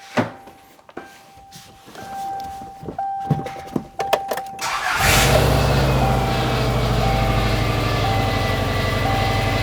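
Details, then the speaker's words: 24-year-old Subaru Outback after a new tensioner was fitted and swapped fuel lines were corrected. It cranks, catches at once and settles into a smooth steady idle; the engine runs great, though the power steering pump whines. "Engine's running great."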